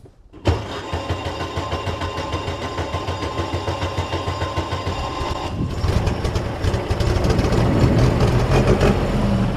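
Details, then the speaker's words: 1913 Bugatti Type 22 Torpedo, restored over 3,500 hours: about five seconds of steady starter cranking with enough fuel pressure, then the engine catches cleanly and settles into a lumpy idle. Magneto switch serves as an off button. "I have enough grams of fuel pressure okay so now I'm going to hit the starter"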